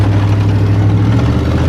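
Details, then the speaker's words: Chevrolet Silverado with the muffler removed, before the fuel pump and filters are replaced: deep, loud, unmuffled rumble at steady idle with an even low pulse; open exhaust. "see what she sounds like with no muffler"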